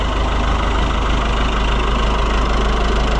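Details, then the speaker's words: Fiat 640 based Oliver 1365 diesel tractor after fuel filter leak repair, on a jump pack: even diesel clatter at steady idle, about three beats a second, no misses or surging; normal idle, no fuel leak, water pump dripping. "Well, it's running and it's not leaking. So, that's good."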